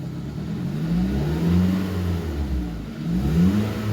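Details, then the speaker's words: 2018 Hyundai Tucson, about 118,000 miles, loss of power with no check engine light; rear muffler disconnected while revving. Revs climb and fall sluggishly in slow, muffled surges; exhaust still restricted, catalytic converter suspected. "so the restriction is still there disconnecting the muffler at the back didn't do anything"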